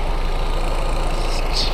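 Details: Golf with boost pipes, intercooler piping and clamps just reconnected and fluids topped up, started after the work: a loud, steady, even idle with a low constant throb and no knocks or misses, a healthy petrol engine ticking over smoothly.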